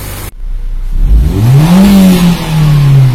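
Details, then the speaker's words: Nissan Grand Livina petrol engine after replacing a leaking coil protector sleeve and all ignition coils, which had caused stumbling, limping running and dead coils: revs up cleanly and evenly, no misfire, repair successful. "tidak ada berebut sama sekali ini menandakan pekerjaan telah berhasil Oh ya Eh ternyata mesinnya disini normal seperti memang permasalahnya pada awalnya"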